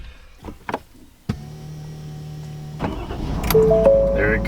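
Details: Adventure truck started right after upgrading to new AGM batteries: brief crank, then the engine catches and settles into a steady low hum; a clean, normal start.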